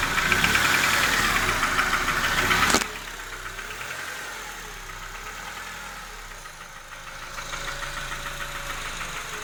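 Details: Honda K20A engine knocking at idle: steady light knock about three times a second, clearer after the loud first seconds; owner unsure whether piston or hydraulic lifter, cause unconfirmed.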